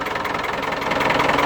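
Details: Single-cylinder engine (walking tractor/plough) after water pump repair and reassembly, test run: fast even thumping beat, gradually a touch louder, no misses or rattles; running healthy.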